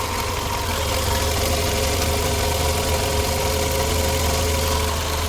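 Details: Car engine after fixing an age-related heavy vibration (oxygen sensor removed, carbon cleaner spray, copper anti-seize and copper washer used): even, settled idle with a steady low drone and no shake or stumble; idling smoothly now.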